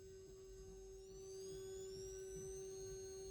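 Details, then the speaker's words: Transformer driven by an IRFZ44N MOSFET PWM circuit: a faint steady mid tone with thin higher whistles that shift as the potentiometer is turned. The transformer vibrates slightly from PWM switching but stays very quiet. "it's a very very faint uh sound but it is there it is vibrating a tiny bit this Transformer is very good actually very good because it's uh very quiet extremely quiet"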